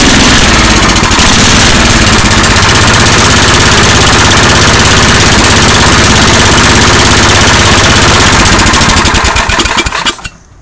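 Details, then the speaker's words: MTD 8 hp 26-inch two-stage snow blower, Tecumseh engine, carburetor just refitted; loud busy single-cylinder idle runs several seconds then sags and cuts out as the bottom idle mixture screw is turned in too lean, stalling it. "What I was doing there while it was idling, I was turning this in. Let me move this down a little bit. I was turning this adjustment screw on the bottom in until it shut off."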